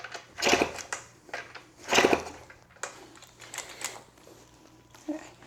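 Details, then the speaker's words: 1991 Yamaha YSR 50 minibike with good spark and decent compression, kick-started on starter fluid: separate scuffing kick strokes about once a second with no firing. No-start; owner suspects the carb, with the choke possibly stuck open. "All right, so I tried unsuccessfully, and I thought I should show the unsuccessful attempts of just trying to start it with a little bit of starter fluid first."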